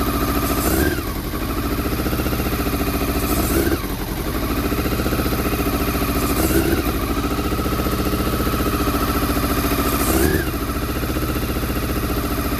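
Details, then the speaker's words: Honda CBR400RR NC23 four-cylinder running lumpy at idle with hollow loping beat between throttle blips after petrol poured in; only cylinders one and two firing, three and four stone cold, so misfiring on two cylinders; water leak also noted. "right well i've got a water leak never mind right believe it or not that was only firing on cylinders one and two um because that's hot that's hot them to a stone cold so uh so three and four are not firing right okay"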